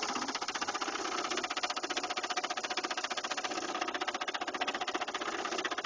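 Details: 2000 Saturn LS2 engine: steady rapid knocking about three per second over the idle; the noise appeared suddenly, owner fears a lost cause; engine knock, source not pinned down.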